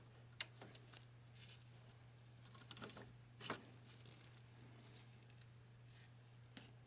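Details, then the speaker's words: VW Beetle 1.9L timing belt and water pump job: single crisp torque wrench click over quiet shop noise as a water pump bolt reaches 15 Nm (133 in-lb), wrench releasing at set torque. "so i hope you heard the click so that's good"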